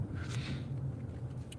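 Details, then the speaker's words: Car driving after a wheel bearing fix, with steady low road rumble and no growl or hum. There are only slight suspension clunks and bumps. "That's cuz it's fixed nice and smooth. Now you'll hear some clunks and bumps from the suspension, but that's it."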